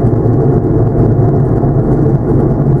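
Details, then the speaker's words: 2008 Chevy Impala (also called a 2009 Malibu), about 150,000 miles, with ABS and traction lights on, driving on the road: a steady deep growl under the road noise from a worn left front wheel hub bearing; the hubs, rotors and pads were replaced. "Yeah, sounds like the left front wheel hub is acting up. Listen how noisy that is."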